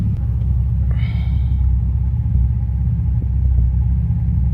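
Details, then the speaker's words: Nissan 350Z at idle just after an oil change and motor flush: deep lumpy, uneven idle with beats dropping out. Check engine light no longer blinking and misfiring less severe but still present. Owner suspects coil packs. Misfire at idle. "The check engine light was blinking. It's not blinking anymore. It kind of feels more sturdy. It's still misfiring. I still think it's my coil packs."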